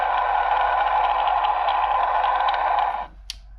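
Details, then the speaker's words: 2006 Nissan Altima at idle, Steelman electronic stethoscope probe on the alternator: steady rough whirring hiss for three seconds, then cuts out; alternator bearing is the noisiest serpentine-belt component and will be replaced, tensioner pulley also suspected. "Number 3 doesn't seem to be too bad, but certainly the alternator is making the most noise."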